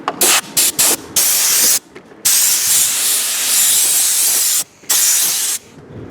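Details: Porter-Cable 6-gallon pancake air compressor, after repairing a broken copper line that stopped pressure building: short sharp hiss bursts, then a long strong even blast of air from the hose; holding pressure at about 70 psi.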